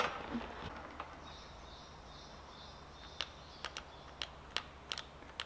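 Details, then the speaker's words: Mercedes GL X164 Airmatic with fault codes 5220/5230 for the right front damping solenoid valves Y52Y1/Y52Y2. Each valve was tested with direct power and ground and gives crisp, regular clicks, so both work; the fault is broken wiring. "This one is clicking too. So nothing wrong with the two valves."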